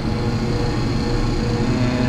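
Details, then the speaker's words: Perlick Quick Chill Power Pak beer dispensing glycol system (glycol lines freezing complaint), circulating pump just switched on before condensing unit: steady even low hum with faint constant tone, no knocks or rattles, water seemingly moving; pump running normally. "seems like some water is possibly moving. Pump is on."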